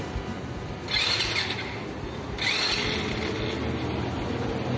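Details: Honda Biz 100 motorcycle after an engine rebuild with crankshaft alignment and all-new gaskets, run with its muffler: it fires, revs twice and settles into a quiet, steady idle with no knocking. Normal running.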